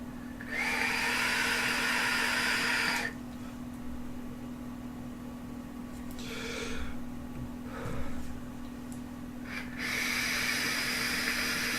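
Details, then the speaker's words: Digiflavor Themis atomizer: two-second draws give a loud airy hiss with a thin whistle over a steady hum; the atomizer is noisy and whistles a lot on inhale. "il va quand même un défaut c'est comme vous l'entendez sûrement dans la vidéo siffler bourg si beaucoup beaucoup"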